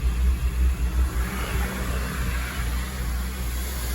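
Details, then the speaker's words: 2002 Acura RSX Type S, K20 engine, warmed up a couple minutes: low idle rumble swells and fades in quick pulses then settles; hunting idle, later traced to a defective idle air control valve, replaced. Idle surging. "but you see the pulsating now right pulsating with an attitude there"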